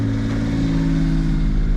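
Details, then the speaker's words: Suzuki Jimny with an upgraded battery, throttle body not yet cleaned; a steady, even drone with no misses or knocks at a slightly raised idle around 2000 rpm, now idling much better. "cars idling are much better now too it's probably at like 2 000."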